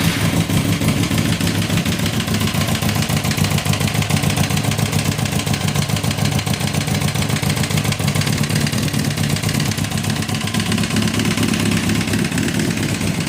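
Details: 2006 Kawasaki ZX10, 45k miles, no compression in cylinder 1, smashed spark plug found, no smoke or metal in oil: loud fast metallic clatter of three to four per second over idle and blips; owner suspects rod knock, unconfirmed.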